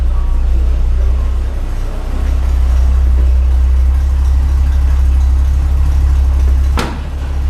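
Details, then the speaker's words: Grain truck with new dual exhaust, idling after a recent run; much quieter, deep steady rumble with no ticking or puffing from the former exhaust leaks; normal idle. "It doesn't sound right. Not going from the exhaust leaks. That dual exhaust sounds good on there."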